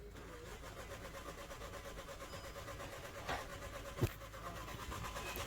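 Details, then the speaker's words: Volkswagen Jetta TDI diesel cranking steadily without catching; no voltage at the fuel pump and no diesel delivered during cranking; crank no start, fuel pump not switching on. "కదా vehicle అనేదయతే start అవ్వట్లేదు. ఎంతసేపు self కొట్టినా కానీ diesel కూడా రావట్లేదు"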